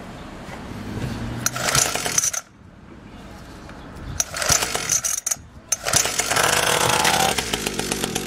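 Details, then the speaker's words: SYXmoto two-stroke with a bad fuel mix ratio, kill wire disconnected and fuel put into the spark plug hole: a raspy, high-pitched buzz revving in short bursts. It runs, but the fault remains unknown. "oh man that's a doozy all right you can hear it run"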